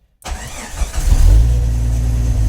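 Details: Jeep TJ Wrangler with Arduino keypad remote start: brief crank, then engine catches immediately and settles into a steady, even idle; clean, healthy start.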